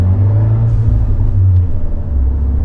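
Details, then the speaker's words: Fiat 124 Spider 1.4L MultiAir turbo at idle after the cylinder 3 and 4 coil packs were swapped. The low idle lopes and wavers unevenly, and the rough idle still points to a cylinder 4 misfire even though the scanner shows none. "hear like the uneven I can hear it at the end but it's not showing anyone I didn't see a misfire anywhere it feels very not happy right now well that sucks it's still cylinder 4."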